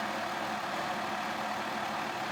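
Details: 2002 Mazda Tribute, engine cold: rough, shaky idle with loose rattly clatter; stalls unless throttle held for high rpm; throttle body cleaned, oxygen sensors and spark plugs replaced without fixing it; cause not pinned down.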